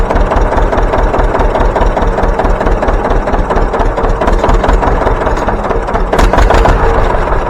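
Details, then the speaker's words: John Deere 720 pony-start diesel after factory coils were fitted to the pony motor: loud, steady chugging with a heavy low thump and no misses or knocks; it is running normally. "I think she's ready to go to work"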